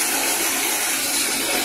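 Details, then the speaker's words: Submersible water pump that previously only hummed and wouldn't pump, after replacing the capacitor (10 µF 450 V): strong continuous rushing water flow, no surging or sputter; normal operation restored. "so ayan nakita niyo gumagana na sige pakipatay yan malakasang bulwak niyan mga paps"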